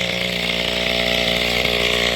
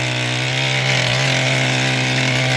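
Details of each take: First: Mantis tiller two-stroke engine after carburetor fuel pump diaphragm replacement, low idle raised so it won't die: fast, steady buzz holds high instead of settling low; owner thinks idle is still a bit too high, though lowering it makes it want to stall. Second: Mantis tiller two-stroke engine after carburetor fuel pump diaphragm replacement and recoil fix, tilling fairly hard dirt: steady high buzzing with a firm, even note and only slight dips as it digs in; normal running under load.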